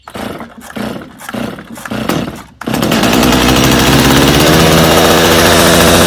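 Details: Customer's Stihl chainsaw, reassembled with its Bosch plug, started on full choke: a few weak pull-start coughs, then it holds a steady, even high buzz with clean revs; idle slightly high but runs well.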